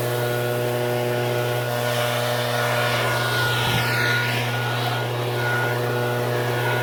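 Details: Shindaiwa backpack blower, two-stroke, after no-start repair work: strong, steady, high-pitched howl with an even fan roar and no stumbling. Normal running.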